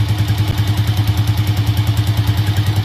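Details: Rusi TC 150cc single-cylinder motorcycle after a valve clearance tune-up to cure sharp cylinder-head ticking and weak pull: even steady putter about two hundred beats a minute, no ticking from the head; normal idle.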